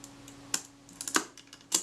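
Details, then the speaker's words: Retina IIa shutter being reassembled after repair, speed settings cam plate fitted, before retaining ring is tightened: three crisp, separate mechanical snaps as it cocks and fires cleanly, confirming the correct position; normal shutter cocking and firing. "Yeah, that's cocking and firing, so that's the correct position."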